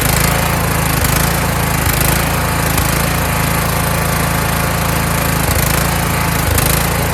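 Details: Kohler Courage engine on a tractor, after a donor-motor carburetor swap whose choke springs back by itself; started choked, winter, engine cover off. Steady, even drone with a faint rise and fall about once a second; runs well, slight surge.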